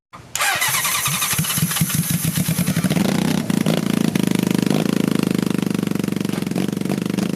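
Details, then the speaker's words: 1980 Honda CB750C engine in half-scale NASCAR kart, rear jacked up, after moving ground to a better ground: quiet cranking, catches, runs fast, lumpy and sputtering, won't settle. "that definitely worked better it was starting up way nicer but then over just died"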